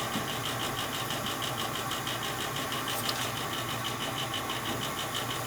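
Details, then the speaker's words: Old gas furnace that the owner says makes loud, fluctuating noises at night: steady motor hum with a fast, loose rattle about twice a second from the draft inducer motor up top; technician suggests lubricating or oiling it. "It could be that that motor up top seems like it's a little rattly. Hear it? Yeah. Maybe I can get some lube on that."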